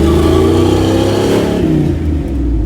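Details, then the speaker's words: Chris's truck with new engine, idling and revving after missing header bolts fitted to fix exhaust leak; revs rise and fall smoothly, no popping or choppiness, sealed exhaust sounding healthy. "that sounds nice i love how it sounds like"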